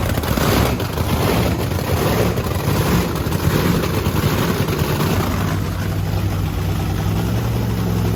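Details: Blower V8 Camaro on methanol, started after cleaning gunked fuel nozzles: loud lumpy idle settling into a steadier, even beat, no bogging or drowning; running cleanly now.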